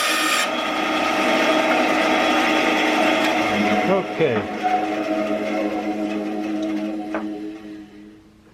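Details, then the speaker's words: 10-inch Craftsman band saw after drive belt replacement, covers open: steady motor hum and even raspy cut through scrap wood, no slapping or thumping; sounds normal, as before the belt broke. "sounds just like it used to before the belt broke so i think we're going to call that a success"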